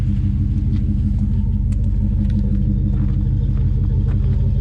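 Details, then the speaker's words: OG Jeep Trackhawk V8 at idle, on all 8 cylinders for the first time in ages after firing order was corrected and carbon/rust cleaned from the throttle body; gauges good. It previously barely ran. Deep, even burble with no misses: normal idle. "This is the best it's ever run. I would say it's the first time it's been running on 8 cylinders in God knows how long."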